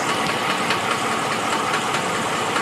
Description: 2014 Ram 1500 valve train knock